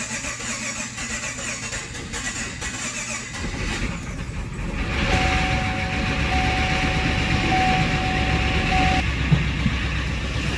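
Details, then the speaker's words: First start of a freshly swapped 6.2L V8 in a 2015 Camaro SS: it cranks, catches and idles roughly with a light, quick tick. Suspected lifter tick while oil pressure builds; it gets quieter as it runs. "It's got to build oil pressure, so it's probably lifter tick that you hear, but that tick's gonna eventually go away."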